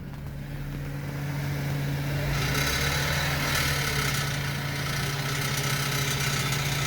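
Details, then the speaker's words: 2007 BMW 525i at idle with heat shields and belt tensioner ruled out: a constant light metallic buzz from the exhaust, like BBs bouncing inside; the exact cause is unconfirmed, and the exhaust butterfly valve clip is suspected. "this sounds like it's coming right out of the exhaust I've had my ear right up to the exhaust while it was running and it just sounds like bb's bouncing around"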